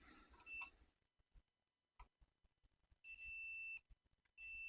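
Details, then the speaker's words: Vacuum tube amplifier (RK 50 custom build): meter common lead on the IEC socket earth pin while each chassis ground is probed, giving a short beep and then steady high tones against quiet clicks; continuity confirmed, ground connection good. "and I've got my common lead and my meter on the IEC socket pin itself and all I do is I just go through and I check every ground in the amplifier and we've got continuity to that point"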